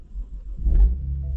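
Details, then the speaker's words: BMW 135i with N54 petrol engine (manual), just rebuilt and refitted, running after reassembly on the driveway: deep, steady idle rumble with one brief swell, even with no knocks or ticks; runs smoothly, normal idle. "as you can see she runs like a beauty all the front end's back on everything here Works"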